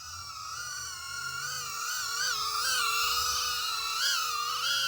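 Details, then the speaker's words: Skyzone AtomRC CineFlex micro cinewhoop in flight on a 450 mAh battery, slight breeze: loud high motor whine with pitch wavering, a slight oscillation; owner suspects D-term oscillation, PID tune untouched. "alright so this is pretty loud and i hear a little bit of oscillation running a 450 force outline battery"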